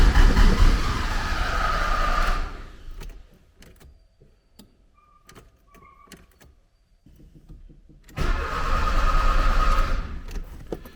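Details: 1979 Porsche 924 after fuel accumulator, fuel lines, cold start valve and spark plugs were serviced, fuel system under pressure but likely holding air; two bursts of cranking with a pause, never fires, cause unconfirmed.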